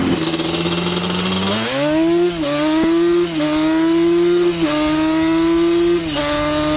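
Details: Custom-built Banshee two-stroke after the build, accelerating through first, second and third gears; crisp revs climb cleanly with short drops at each shift, no lag, no sputter or misfire, pulling strongly and running well.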